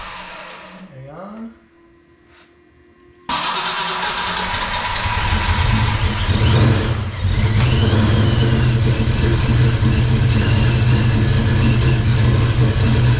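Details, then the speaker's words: Ford Mustang project car after new fuel tank, pump sock, rail, regulator, filter and cleaned injectors, first fire-up: cranks, catches, then runs loud and ragged, stumbling at idle; ignition timing well off. "okay we're pretty far off on timing so hang on a second let it die we're not quite there yet"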